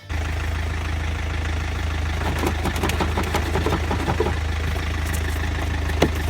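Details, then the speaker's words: 2002-2006 Land Rover Freelander TD4 diesel with low fuel-pressure codes, not starting: low-pressure feed pump cradle hit with a pry bar while cranking; engine fires and settles to steady low idle with sharp metallic taps; stuck pump suspected. "if you give that a bash with a with a pry bar while you're cranking it"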